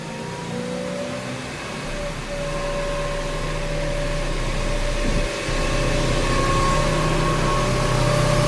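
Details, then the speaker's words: Mazda AWD at about 60 mph cruise: steady low drone under road noise holding one pitch, occurring at specific speeds (30–31, 56–62 mph); attributed to the transfer case, not the rear differential. "The sound that you are hearing at that certain speed is your transfer case."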